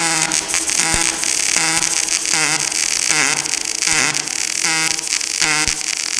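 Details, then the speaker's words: Kemppi X5 pulse MIG welding 6 mm plates overhead (PD position) at about 100–105 A with C18 gas, torch at about 45°: steady crackling arc with a regular buzzing pulse and no sputter or pops. Normal pulsed weld. "Pogledajte kako to Kempi radi lagano, bez ikakvih problema. A za zavarivača laganica."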